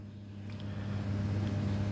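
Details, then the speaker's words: UPS ETECH 1200VA, 24V system, with its transformer replaced: steady low electrical hum with a buzzy overtone. This is a normal transformer with normal standby current; output is about 190V. "321ปิดนะครับอันเนี้ยคือหม้อแปลงปกตินะครับ"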